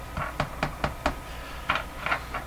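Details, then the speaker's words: Hallicrafters TW2000 World Wide radio during IF transformer alignment after extensive work: sharp dry clicks and pops in bursts over a quiet background, intermittent crackle; symptoms of suspected silver mica disease, not confirmed. "I'm not even hearing any of that now there's a few clicks and pops in there"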